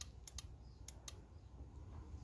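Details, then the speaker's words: Subaru (2007–2017) boost control solenoid bench-tested with 12 volts from a battery: a few sharp, quiet clicks as the solenoid switches to the open position; the solenoid works normally. "another indication that the solo line is working well so now it's opened so now it's in the open position"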